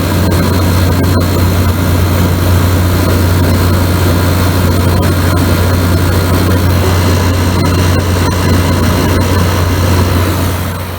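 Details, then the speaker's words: GE window air conditioner, model AEL14AVL2: compressor has just started, giving a loud, even low hum with a steady rush of fan air and no knocks or rattles; running normally. "So as you can hear, the compressor has just started. That means the compressor is pumping the cool air in the house. Which is, you can hear it pumping. That means it's running."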